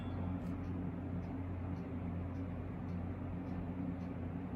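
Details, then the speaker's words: 1970s Lakewood K-Mart K-223 box fan, about 50 years old: steady motor hum with sharp metallic ticks about three times a second as a badly bent metal blade strikes the guard bar. "I mean, I ain't no genius, but that's pretty damn close to that bar. I don't know. I guess it ain't hitting it. Listen for metal hitting. It hit something."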